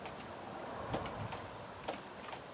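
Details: Land Rover Defender 90, 2.5 naturally aspirated diesel after injector pump refit, won't start: several sharp dry relay clicks with no cranking; the start-circuit wiring fault leaves the starter solenoid without power.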